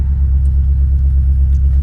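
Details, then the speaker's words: Engine with Dinan coils and fresh plugs, at start-up: deep, uneven lumpy idle with a loping beat and stumbling pulses, like a cammed engine, from a cylinder misfire; cylinder four injector suspected, injectors to be swapped. "so we gonna start we gonna crack we gonna hear it yeah yeah I can you can feel it too"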